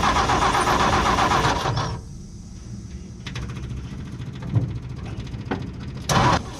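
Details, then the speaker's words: 1958 Ford F100 panel truck six-cylinder, plugs cleaned, fresh fuel from a new tank, carb cleaner used as starting fluid: catches then weak, lumpy, uneven putter with irregular pops, running on only a few cylinders; ignition points later replaced. "when it would run it would wouldn't run well it would run and sounds like it was running on two cylinders instead of six or maybe sometimes three but it would never run on all six"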